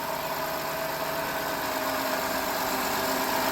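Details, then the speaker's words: 2005 Chrysler Town & Country, 326K miles, first start after water pump, timing chain and seal service; smooth, quiet, even idle with faint steady whir, running on all six, no ticks or misfires — normal idle. "And there she is. She's idling just like that. Sounds good. It's running on six."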